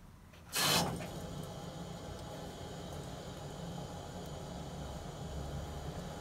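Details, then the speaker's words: Megaflo unvented hot water cylinder, 16 years old, during an air-gap recharge after the lower cold feed valve is reopened. A valve clunk, then a steady soft hiss as water rushes in and the cylinder refills to pressure. Normal refill. "here you can hear water entering back into the tank that's now replacing effectively the water that's come out of the hot water tap that was running downstairs and then this tank will come to pressure"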